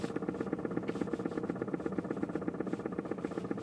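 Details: 2006 BMW E90 sedan, six-speed manual, creeping in reverse: light, fairly quick clicking about four per second, heard only while reversing, cause unknown. Clicking noise in reverse.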